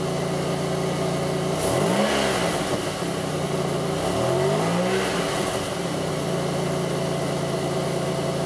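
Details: Engine bogs when revved on an '02 Pontiac Grand Prix 3800: two quick blips where revs rise sluggishly and sag back over a lumpy idle, no check-engine light, alternator overheating, faint intermittent thumping pulling idle down; cause unknown.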